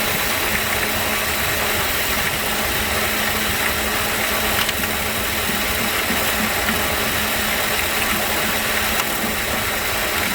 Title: Ac Compressor Noise